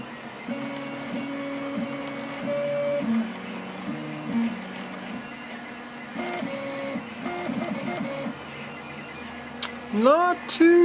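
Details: Rostock MAX v2 delta 3D printer after Astrosyn dampers fitted on its three axis stepper motors: soft, fairly quiet stepping tones shifting pitch with each move, no harsh buzz or rattle; other printers running in background.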